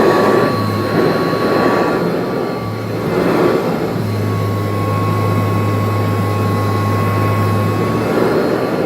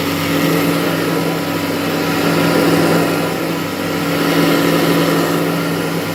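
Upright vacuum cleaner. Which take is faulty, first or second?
second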